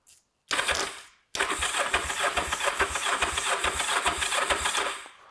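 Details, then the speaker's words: Kawasaki GPZ 500S twin, left outside three to four years, with power connected: the starter spins it in quick, even chuffing pulses for about four seconds with no firing, because the tank has no fuel. "is a very good start so each turn over we need some fuel we need to siphon some fuel out here"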